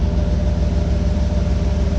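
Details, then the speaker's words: 2013 GMC Yukon Denali Z55 AutoRide air suspension, newly installed air compressor running with engine idling: steady low drone with quick even pulse as it fills the rear air shocks; sounds healthy, normal operation. "I'm gonna start this thing up. We should hear that compressor turn on."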